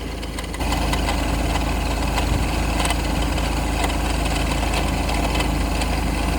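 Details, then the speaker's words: Ford C-Max 2.0 TDCi diesel at idle: loose, uneven rattle about four times a second, suspected to come from the failing smart-charging alternator that is being replaced. "that doesn't sound nice at all see what those rattles come from sounds like it's coming from the alternator"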